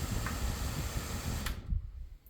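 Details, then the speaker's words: Vornado fan (Pivot3 or Flippi v6) run on 60 Hz: steady airy hum cuts off at switch-off and the whoosh dies within about a second; spin-down still very poor even after several hours of running. "Spin down is still very, very terrible, but oh well. Even after running it for quite a few hours, it's still really bad."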